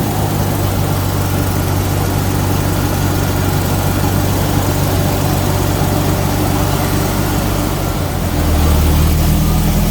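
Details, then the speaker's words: Jaguar XJS V12 barn find, unstarted for nearly 7 years, first start: oil pressure rises at once and cold start injectors seem to be working; a steady, even, smooth low rumble that settles slightly; normal idle. "oh straight away oil pressures going up foreign are you serious through that oh you've got to be kidding me that's just great news calming down a bit so the uh cold start injectors that seem like they're working"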